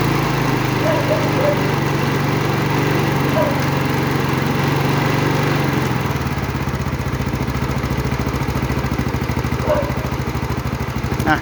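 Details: Yamaha Fino scooter bought old with missing parts, valves reset, timing chain tensioner at its limit (chain likely stretched) and extended as a temporary fix, battery charged: cranking gives way after about six seconds to a steady, even single-cylinder idle; starts normally.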